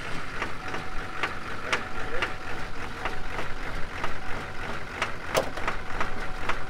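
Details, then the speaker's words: 2003 GMC Duramax LB7 diesel, started cold the morning after knocking on deceleration: idle with a hard, sharp knock about every half second and heavy black smoke; stuck-open fuel injector, fixed by replacing injectors. "Yeah, we are smoking pretty good. Look at that. Oh man, that's a pretty hard knock in there."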